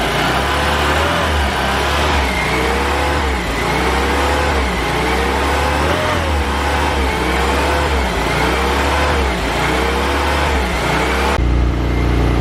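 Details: 1990 Saab 900S after fitting junkyard fuel injectors; had lack of power and hard starting. Old injectors made loud clattering and water pump screeched, now not heard. Engine rises and falls smoothly through repeated blips, quiet: normal running.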